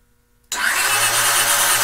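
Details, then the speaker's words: 1982 Honda GL500 twin, sat a couple of years, first press of starter with both plugs out to build oil pressure; silence then steady fast whir with no compression beats; normal starter cranking without compression. "they've got both plugs out so it'll crank all I want to do is build up some oil pressure here this is the first time the start button has been hit and the couple years has been sitting so let's see what happens"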